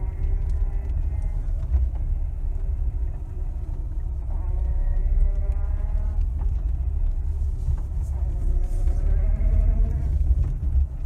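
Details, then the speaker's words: 2019 Lada Granta FL (VAZ) after the squeak fix (shifted rubber seal tied in with copper wire): low, steady road rumble while driving over bumps for five minutes, with no squeaks or creaks left. "ничего не скрипит минут 5 все это дело за него и ничего больше не скрипит"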